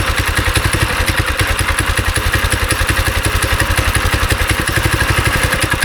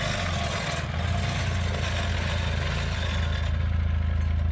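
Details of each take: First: Go-kart small engine after sitting three years, started with choke and starting fluid: uneven, lumpy thumping about three or four per second that stumbles and surges; runs rough and smells bad from bad gas left in the tank. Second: Small go-kart engine, first running after sitting about three years, with carb cleaner and choke used to start it: an even, steady low thrum with no misses or knocks, and it idles and runs well (about 35 mph). It still needs some tuning. Normal.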